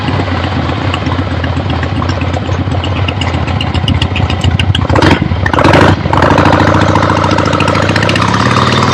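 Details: 1975 Harley-Davidson XLH Ironhead Sportster, freshly rebuilt and basically stock, on a test ride with the camera clipped to the rider: lumpy V-twin beat pulls cleanly through a rev and settles smoothly, no knocks or rattles; runs great, healthy.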